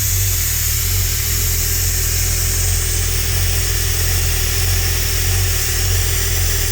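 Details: Holden 202 red six test-bed engine with rebuilt early Mk1 TBI throttle body, just started after priming: steady even drone with no misses, knocks or surging; idling and running beautifully.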